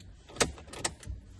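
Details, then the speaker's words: Fiat Coupe 20v Turbo: crisp relay clicks over a faint low pump hum as the fuel line is pressurised after fitting a replacement fuel pump (old original Bosch pump removed); normal fuel pump priming and relay clicking. "I can hear relays clicking. I can hear fuel pumps priming."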